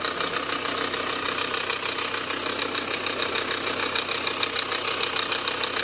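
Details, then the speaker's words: Nissan Juke at idle: heavy, harsh knocking about three times a second with a big squeak; air-conditioning compressor starved of oil and starting to seize, due for a new compressor and condenser. "So, you can definitely hear that it's run like a tank in that big squeak as well."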